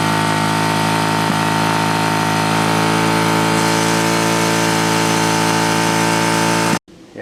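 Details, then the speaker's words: 1967 Honda CL90, ignition timing just set to the F mark: restarted after cutting out during clutch adjustment (idle had been set low), it holds a steady high rev, then cuts abruptly; throttle hanging open. "So I said, fine, I'll start it up again. And started up pretty good, but then just took off at the high revs."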